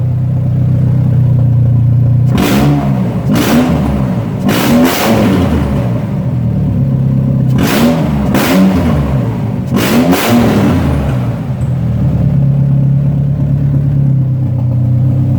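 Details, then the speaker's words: Previously non-running Ford Ranger pickup, nearly out of fuel, with the alternator charging: petrol engine idles low, steady and smooth, with a few quick throttle blips that rise and settle cleanly. "listen to it idle guys it's perfect"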